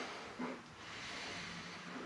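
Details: Built Subaru EJ20, cold engine, intake manifold off, leak-down test: soft, steady airy hiss, engine not running, air escaping past the piston rings; cold rings and piston not expanded; cause suspected, not confirmed; air hissing during leak-down test.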